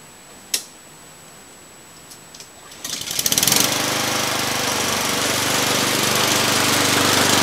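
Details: Free roadside Poulan Pro self-propelled mower after carburetor and fuel system cleaning and new blade: engine catches near three seconds and settles into smooth, even buzzing run with no misses; healthy.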